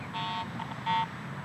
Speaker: I'm not consistently or even at all picking up a good target signal. I'm just getting ground response because I'm improperly ground balanced.